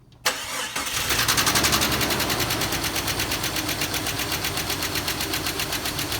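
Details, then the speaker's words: 2001 Jeep Cherokee XJ on a cold start: a fast, light tick of about four per second in time with idle that fades as oil comes up; owner suspects a rear lifter. Recorded before adding Engine Restore. "it eventually goes away which i think it's a lifter sounds like it's in the back going away now that the oil is coming up in it's gone"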